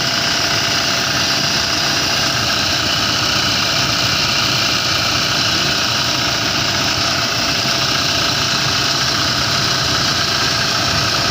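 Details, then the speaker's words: Engine idling with a loud steady whir and hiss as the A/C is switched on in a 2018 Toyota Hilux, A/C not serviced for about a year: noisy compressor running short of oil. "Okay mingay na siya"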